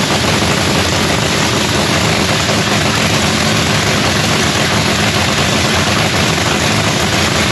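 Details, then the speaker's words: Lexus drag race car's first start of the season after fitting a new fuel pump (old one primed only 23 of 72 psi): loud, steady, even roar with no misses, knocks or surging; normal running. "so anyways guys y'all got to hear the car fire up for the first time of the season it sounds beautiful"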